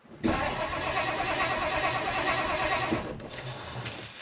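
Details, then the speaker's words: 1959 Edsel Ranger with a 361 "Super Express", sitting for years, fuel gauge reading a quarter tank: the starter cranks for nearly three seconds at about three beats a second but never fires. The owner finds the fuel pump is not running. "I was kind of messing around here looking for fuel pump wires cuz this fuel pump's definitely not running."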